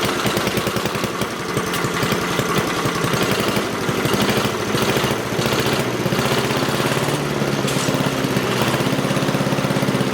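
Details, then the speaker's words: Craftsman 5 hp wood chipper engine that sat behind a barn 3 years and was jammed, first start after: catches and settles into a fast, even single-cylinder firing beat, no misses or knocks, very smoky. Runs cleanly. "Oh, that was good. I like that. Very cool. Very smoky though."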